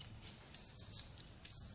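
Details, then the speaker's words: Custom pulling tractor with swapped 500cc Honda motorcycle engine, electric start button tested with a multimeter: two clean high-pitched beeps, one per button press, showing continuity; start switch working. "so when you push the button you should hear the beep from the voltmeter"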